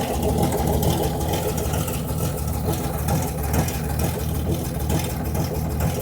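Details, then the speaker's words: Debonair engine under restoration: steady, even low rumble on choke with no knocks, misses or surging; runs smoothly, the best it has ever run. "We gave it some choke and it's never run that well before. That's pretty cool. Hey, what do you think? That sounds pretty good."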